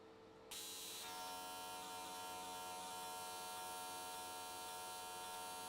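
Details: AC TIG welding an S13 catch can, likely aluminium, at 95 Hz square wave. The arc strikes after half a second, then gives a steady, even buzz with a crisp hiss and no sputter. Normal, stable arc, judged a good frequency choice.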